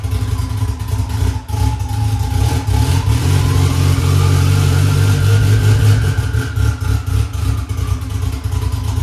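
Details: Honda S2000 2.4 race engine after rod bearing check following 5-6 months hard racing: strong steady note rising and falling with clean revs, no knocking or rattle; good oil pressure; running good.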